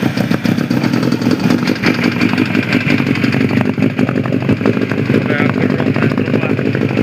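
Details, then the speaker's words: Suzuki GSX-R1000 motorcycle brought in for a knock in the engine: rapid, even tapping over the idling engine; source unclear. "Приехал с жалобами на стук в моторе."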